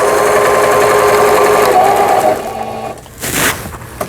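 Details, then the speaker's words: Old 220V-only Singer 7422 sewing machine after repair of its faulty upper-thread tension dial unit, using the reverse-stitch button; steady quick needle chatter about two stitches a second, smooth with no knocks or grinding. Normal reverse stitching. "보진 정상 작동되고 있고요."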